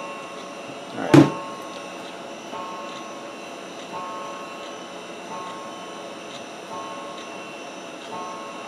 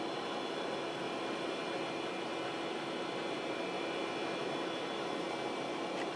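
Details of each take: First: Old 486-class Packard Bell PC hard drive during ScanDisk: one loud knock then faint regular ticks about every 1.5 s over quiet whir; drive has problems; failing hard drive. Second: Replacement hard drive in long-stored 486-class Packard Bell PC spinning up: quiet steady spin, soft even hum, faint hiss, no clicking or scraping; normal running.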